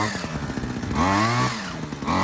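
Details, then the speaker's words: Rusty Titan TTL688HDC petrol hedge trimmer after air filter cleaning, fuel primed and warming up: small two-stroke buzz blips up and down cleanly, blades chatter evenly with no grinding; trimmer runs properly. "And then just crank it. And as you can see, it's got it running. It's going to leave it running for a bit, let it warm up."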